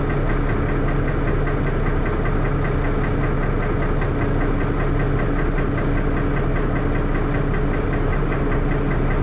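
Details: First Manchester Dennis Arrow bus, recorded on a Sony Ericsson Elm phone in 2012: heavy diesel idles with a thrashy clatter and a dull knock about twice a second underneath. Engine knocking, cause undetermined.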